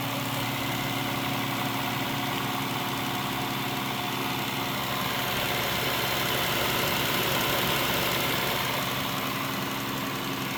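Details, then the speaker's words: Engine with 223,000 miles and oil-coolant buildup: rough idle with a steady deep knock about 220 a minute; owner suspects a rod hitting the top, possibly a lifter, unconfirmed. "all right well you've seen it and you heard it it's definitely not sounding good uh it could be even a rod knock on this on the top so maybe one of the lifters but uh I think one of the rods is hitting the top"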